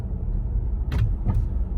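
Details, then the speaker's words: Roof of a 2022 Ford Bronco four-door Badlands with MIC hard top pops, sometimes clicks, right overhead as the vehicle hits a bump; two sharp pops or clunks over steady road rumble (a manhole clank also heard). "this click up here is kind of annoying it's it's it's more like a pop right there but sometimes it makes a clicking noise but this is a pop"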